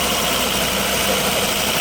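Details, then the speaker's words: Engine around 200,000 miles, first start after retiming: catches and settles into a steady, even, quiet idle with no binding or knocking; runs smoothly. "oh my that sounds great I mean you know for 200,000 Mi I think it sounds good dude that's that's not bad at all"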